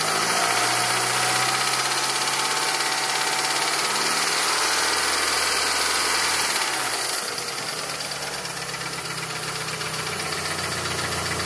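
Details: Evo with a reconditioned Evo 7 motor at 50,000 km on 5W30: fast regular tick at idle, seemingly around cylinder 4, whose spark plug tip was melted; ticking for about 2,000 km, cause unknown.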